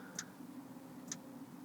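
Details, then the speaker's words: Planar/Autoterm diesel heater in a campervan, first test at 6 °C with 14.7 V battery: soft, sharp dosing-pump ticks about a second apart during startup; normal fuel pump ticking. "right the pump has started clicking again very gently"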